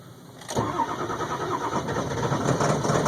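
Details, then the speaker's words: 2002 Ford F350 7.3 Powerstroke diesel, cold start at about 34°F: after about 8.5 minutes of cranking it suddenly catches into a rough, uneven idle with heavy white smoke. Hard starting also happens at 40–50°F, though once started it runs. "let R it 8 and 1/2 minutes it took for this thing to start just smoking"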